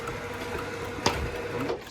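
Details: Sommer roller door motor running the door up for the first time during control panel setup, before the up limit is adjusted: steady even motor hum with no grinding or knocking; healthy motor.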